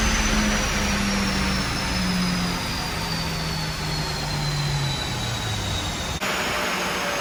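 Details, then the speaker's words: Audi TT with 229,000 miles on dyno after fixing boost/vacuum air leaks: steady engine drone climbing smoothly through full-throttle pulls, no hiss or stumble; power regained, normal under load. "couple of pulls there. And we've gained some power. We've got 395 wheel horsepower, and calculated flywheel figure is 212 and 215."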